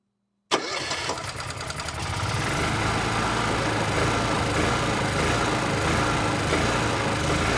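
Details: Honda EU6500is generator that stalls or surges after 5–10 seconds: after restart with spark tester fitted, engine runs unevenly with a lumpy wavering beat; spark confirmed fine, carb suspected next.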